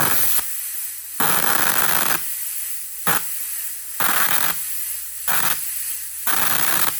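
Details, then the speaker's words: 35-amp plasma cutter on 120 V powered by a Taramps 12,000 W car amplifier, cutting quarter-inch steel: hissing arc in roughly one-second bursts with quiet gaps; struggles to cut, possibly machine limits at 120 V, not confirmed. "Well, we're off to a pretty slow start because uh it's struggling to cut this quarter inch and I'm not sure why."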